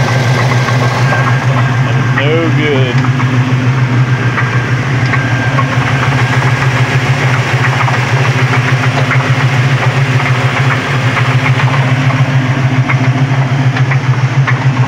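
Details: 1972 Chevelle V8 at idle: rough running with a dull, uneven knock about three or four per second under the exhaust drone as the engine gives out; rod knock suspected.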